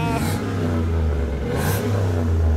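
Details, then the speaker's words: Chevy Express 3500 van, 6.0 L LS V8 with six-speed transmission, 201,000 miles, 4,400 engine hours: deep even rumble swelling with throttle blip, no misfire or smoke; healthy engine revving. "thing runs so good it's not misfiring no smoke whatsoever this is the six liter engine uh with the six-speed transmission"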